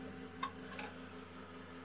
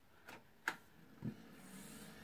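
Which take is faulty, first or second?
first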